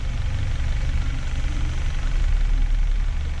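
Low, smooth and even idle with no ticking or clatter from the injector rail, just a quiet steady rumble: running well on gas.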